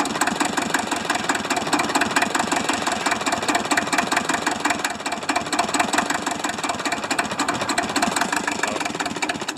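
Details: Hinomoto tractor diesel idling roughly with loud, uneven, clattery knock just after a cold start in the 40s °F; engine was previously stuck, one cylinder hits better; owner suspects low compression, half-working glow plugs or poor injector spray, unconfirmed.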